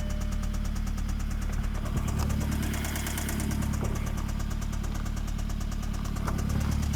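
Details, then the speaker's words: Jetta with newly fitted lifters and Techtonics Tuning 260 camshaft, first start: light rapid ticking about three per second over steady idle, lifters likely not yet pumped up with oil (suspected). "It's a little tappy tappy. Was that too much? Tappy tappy."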